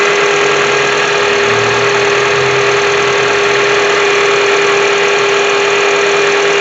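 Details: 2007 Honda CR-V at idle: steady mid-pitched whine over quiet idle, constant; bad alternator not charging, about 13.7 V, only 12.23 V with load; alternator to be replaced.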